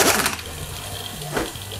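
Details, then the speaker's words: Removed alternator clamped in a vise and spun by an air tool: low steady hum with a rough grinding edge, indicating worn bearings that need replacing. "Отчётливо слышно, что присутствует гул и скрежет подшипников. Таких звуков быть не должно. Это говорит о том, что в этом генераторе подшипники нужно менять."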